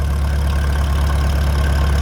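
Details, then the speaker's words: Old machine started cold with choke on an unseasonably warm late-December day after sitting through cold weather, battery still holding charge; steady, even low putter with no knocks or misses, idling smoothly while warming up. "So, we'll let this thing warm up and just putter away. You'll probably hear it in the background moving forward from here."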